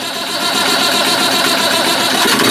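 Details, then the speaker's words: Massey Ferguson 1200 turbo diesel tractor after repairs, fuel pump bled and injectors cracked: catches quickly and settles into steady, even tick-over with no misfire; good oil flow through turbo, alternator not charging. "Let it tick over. That's got a good flow of oil through the turbo."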